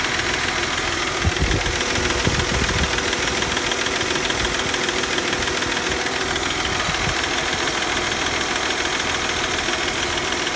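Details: 1997 Mercedes C240 M112 V6 petrol with 160,000 km, hard to start (needed throttle), now idles with a loose, uneven knocking about twice a second over a hissy running sound.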